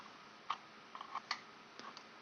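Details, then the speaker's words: Carbon doser regulator solenoid valve after repair and new connectors: light, sharp clicks about every second, with a dim indicator light on; it is working properly. "here it is clicks every second or so and the light very dim but it comes on it's working perfectly hey I think we fixed it"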